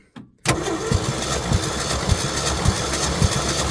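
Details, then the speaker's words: 1966 Ford F100 240 engine, wet compression test: uneven moderate cranking after a short false start, no firing; reached 90 psi, owner believes worn piston rings needing rebuild. "Okay. Well, we hit up 90. So what does that mean? Means it's got bad rings, I'm pretty sure. Which means I need an engine rebuild."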